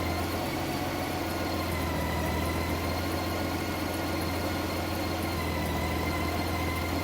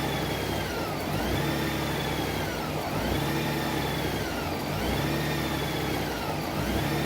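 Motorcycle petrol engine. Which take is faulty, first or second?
second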